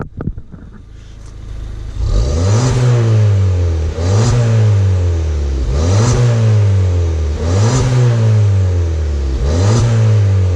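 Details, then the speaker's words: Ford Fiesta ST with standard airbox and standard exhaust with Scorpion sport cat: five quick blips, revs climb and fall cleanly with a faint turbo whistle; healthy engine. "That sounds pretty good. It's made a nice difference to it."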